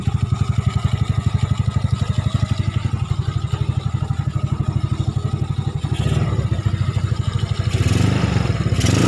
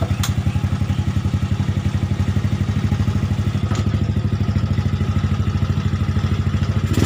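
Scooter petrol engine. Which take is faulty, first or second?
second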